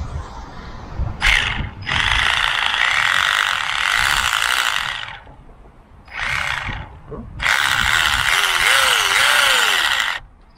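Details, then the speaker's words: Tamiya Porsche GT3 RC car (TT02, brushless): bursts of harsh gritty rattling from the transmission with motor pitch chirping. "Il fait du bruit dans la transmission là. C'est un petit caillou qui s'est coincé."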